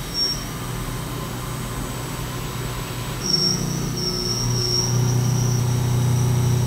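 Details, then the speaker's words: CNC milling of aerospace A286 stainless steel, chip load raised from 0.0036 to 0.0043 in at doubled depth of cut: the steady cut grows louder with a deeper drone and thin squeal as tool pressure increases, still cutting successfully. "I actually increase the ship flow just now because it was cutting so good I increased it from point zero zero three six to point zero zero four three and instantly I heard the pressure and the cut get louder and now I can hear it in the tool"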